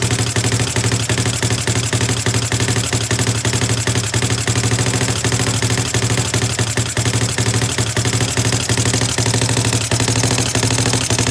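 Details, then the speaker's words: CFMoto 250cc 172MM GY6 single-cylinder after a head rebuild with new piston and valve kit and valves adjusted: idles fine, but under throttle a choppy, uneven sputtering putter with no clean pickup, running the same as before. Not a valve problem; low compression suspected. "It idles fine. It starts up, it idles, and it idles beautifully. But then when you try to go give it gas, it just wants to like sputter and brum brum brum."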